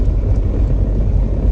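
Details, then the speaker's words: Camaro driven at about 15 mph: low, loose rattling over steady road rumble from the rear end. Something in the rear end is broken, exact cause unclear. "alright so i don't know if you can hear all that rattling but it's safe to say there's something broke"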